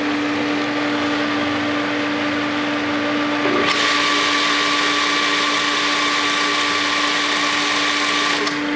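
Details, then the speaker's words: Pool booster pump for the Polaris cleaner at 2017 season opening, after the main pump primed: steady motor hum over an even rush of water, no rattle, grind or squeal; normal running. "So everything is up and running."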